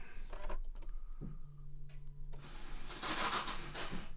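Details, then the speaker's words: 2014 Nissan Note 1.5 dCi (Renault engine), key turned to crank: light electric whir at steady pitch with no engine turnover; starter motor not engaging and faulty, needs replacement. "there's the funny noise I like to hear it for [Applause] outside so the starter motor is not engaging indeed the starter motor is kapo"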